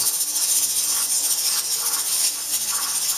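Steady high hiss with soft rhythmic jiggling as the weight rocks and vents steam while the canner depressurizes, a normal sound.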